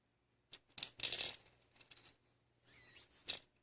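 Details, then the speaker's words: HP Officejet Pro 8620 print head after flushing with warm water and isopropyl alcohol, air pushed through by syringe: short sharp hissing spurts escaping a corner pinhole; air leak from damaged print head membrane. "you can hear it. It's coming out of that little corner right there."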